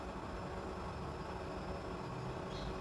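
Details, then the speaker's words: Previously jammed fridge compressor, its PTC starting device replaced with a current relay and starting capacitor, now running at normal amperage: steady, even hum with no clicking, cutting out or straining; normal running. "और आप देख सकते हैं कि बिल्कुल हमारा normal ampere से compressor run हो रहा है"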